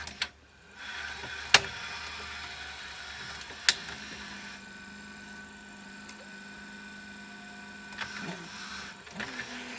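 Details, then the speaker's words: National/Panasonic NV850 VCR after belt kit and idler replacement: click, motor hum for about seven seconds, then stop with clunks; owner suspects excess tape tension, possibly the lower drum, mechanism stalls after running. "goes and then stops something must be getting up tension or something"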